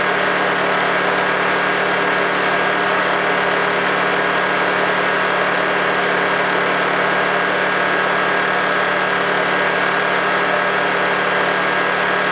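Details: Honda generator unused for about three months, after a cold start: steady, even drone with no knocks, misses or surging, running smoothly and healthy.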